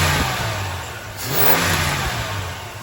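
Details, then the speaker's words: 1979 Chrysler 300 with a Thermoquad carburetor, idle screws reset to about 1.5 turns out and idle near the 750 spec: a quick throttle blip with revs rising cleanly and settling to a smooth idle, showing crisp, normal throttle response. "Yeah, buddy. That throttle response is right now. This is awesome."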